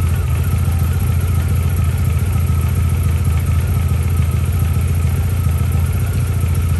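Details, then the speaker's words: MG ZR, warm engine just after a coil pack replacement, starts better but the idle stays low, loping and irregular and never settles; rough idle persists, and the mechanic suspects an electrical gremlin, possibly joins in the coil pack wiring. "it started better but i don't know because it was warm um but it's still not idling right something's still not right somewhere"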